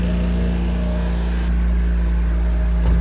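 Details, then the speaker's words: Ex-naval Chinese Suzuki-clone micro van, carbureted, just started on choke with weak battery: even steady low thrum at idle, no misses or stumbles; normal idle. "Oh, there we go. It's running. Wow,"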